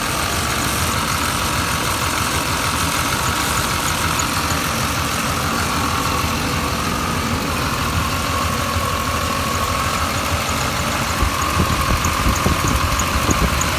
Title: 1989 Chevy Silverado, My truck is making a strange noise, what could it be?